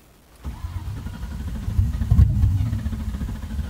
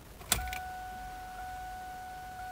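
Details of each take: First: 2000 Mustang GT V8 with open headers, long crank after reconnecting unplugged fuel pump: low steady cranking churn with uneven catches that never run; very close, owner hopes it is just air in the fuel line. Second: 2000 Mustang GT, key-on after finding the fuel pump unplugged and reconnecting it: a short click then a steady thin electric hum for a couple of seconds; fuel pump priming normally.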